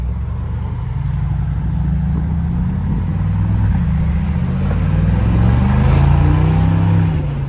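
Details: 2020 Mercedes G63 AMG V8 with a newly installed FI axle-back exhaust, being revved. A deep, throaty burble climbs smoothly on each blip and settles cleanly; no misfire or rattle, healthy.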